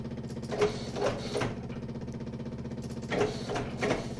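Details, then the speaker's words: Yamaha golf cart with faulty pedal switch and original relay: steady low chugging with clanking bursts as the engine tries to start after the pedal is released; noisy fuel pump audible when stopped. "see you let go of it now and it's going to try to start when before"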